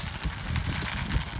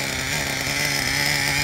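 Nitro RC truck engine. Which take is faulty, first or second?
first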